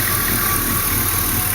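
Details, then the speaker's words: LS-swapped Mazda B2200 idling after idler pulley replacement: steady even idle, belt-area squeak gone, accessory drive sounds healthy. "they changed out that idler pulley which is way down they were looking at the backside of it and the noise is gone"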